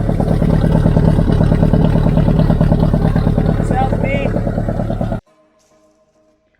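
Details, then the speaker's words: Boat inboard engine after remanufactured water pump fitted; wouldn't start because throttle was at full position: even steady throb about three pulses a second, running cleanly, then shut off. "all right guys so we got the boat running she's sounding good"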